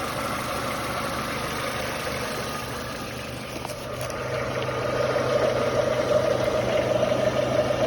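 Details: Nissan Almera G15 at steady idle, engine slightly warmed up: light regular tapping about three a second over the engine hum; the knock appears only once warm and is absent fully cold, origin unclear.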